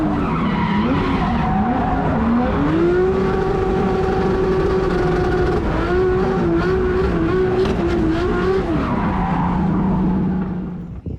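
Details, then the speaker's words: Rebuilt Toyota Corolla engine being run in on a single practice run at Calder Park, with little boost and no drifting. A strong, clean note climbs and settles with throttle over tire noise, with no knocks or misses; the motor sounds healthy. "Like I said, yeah, she's running and motor sounds healthy."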